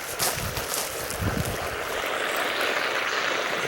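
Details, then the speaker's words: Steady high hiss of pressurised water escaping from a broken drip irrigation line under a backyard bush, over rustling and handling noise; water leak. "I'm hearing some noises and it sounds like there's a leak somewhere underneath one of these bushes"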